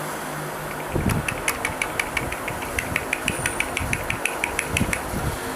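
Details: 9th-generation Honda Civic, engine running: fast, even light ticking about six a second from the accessory belt, a rattle worse with the AC on or when revving. A poor-quality tensioner fitted less than a month earlier is blamed.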